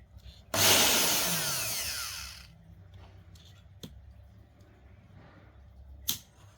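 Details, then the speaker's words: Multi-purpose blender motor removed and run directly on AC mains: whirs up high and loud for about two seconds, then winds down and stays silent; stalls at certain rotor positions. "con này đang có hiện tượng là khi mà quay đến một vệt trí nhất định là nó sẽ không quay m tơ"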